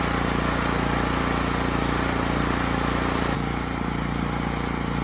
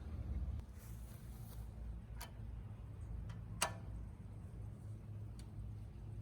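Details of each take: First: Homelite HG5000 generator after new stator and rotor fitted: single-cylinder engine chugs evenly but slow and laboured, under speed; hertz and voltage low, power output restored; fuel running out. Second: Homelite HG5000 generator engine on temporary fuel line, before stator/rotor replacement for no power output: fires at once and settles into a steady, even run with no misses or knocks; engine healthy.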